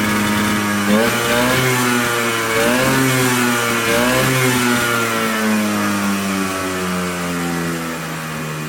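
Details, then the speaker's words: Polaris Colt two-stroke, no choke cable, idling a little high; climbs and drops cleanly through several blips without stumbling, revving out much better than before. "I mean, it's it's running way better than it was the last video. It's idling on its own. It sounds like it's idling a little high, but overall, this thing is revving out way better."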